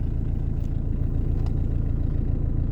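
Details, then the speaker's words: Diesel with 16:1 compression instead of 21:1, after injection pump timing, with no smoke and a turbo: deep, even clatter at a steady idle with no misses or knocks. Runs perfectly once warm at about 22 degrees; cold starts are rough. "par contre d que je suis rendu à 22 degr tourne nickel après et là après jusqu'à tout le temps tourne parfaitement cette caisse là"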